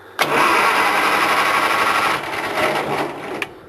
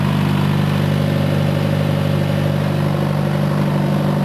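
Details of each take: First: Farmall 140 tractor (1962 vs 1974 comparison), coil wire removed, starter only: strong, even whirring crank about three turns a second, no firing, grinding or drag; normal 12-volt starter cranking compared with the 6-volt starter. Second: Farmall 140 marked '74' compared with the '62', both running: even, steady low drone at full throttle with no miss. The governor holds the 74 at a much lower full-throttle rpm, about half the other's throttle.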